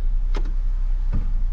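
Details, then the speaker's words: 2002 Toyota Tundra after the front differential actuator was replaced, test drive with no fluid in the diffs yet: road rumble with one dull low clunk as the front axle locks in; normal 4x4 engagement. "hear that clunk that's how you know it's locking let me let you guys hear it again"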